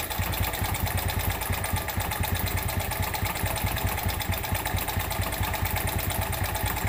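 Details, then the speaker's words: Suzuki Smash 110 motorcycle idling rough and lacking power: uneven beat with gravelly rattling underneath, pointing to a damaged piston and slack cam chain. "Selamat siang hari ini kita kedatangan Suzuki Smash 110 di mana kondisi permasalahan seperti yang kita dengarkan di awal Tadi suaranya kasar"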